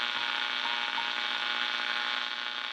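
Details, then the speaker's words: Motorola 68L11 tube radio after substituting a tube: a steady high-pitched ring over faint hiss, milder than with the original tube, also ringing at start-up; a microphonic tube still ringing. "okay so it still rings but not as badly as this one does and it does do that same so ring when you start up"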